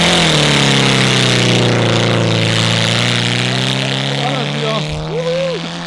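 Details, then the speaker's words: Golf running on fryer oil: steady rough drone with a fast, even rattle of about four per second, a failing connecting rod bearing knocking; engine was running on only one or two cylinders, then seized and threw a rod. "Der Motor war ja am Rappeln die ganze Zeit. Ich wusste wohl, dass er sofort auseinander fliegt. Hat sich auch so ganz komisch schon angehört."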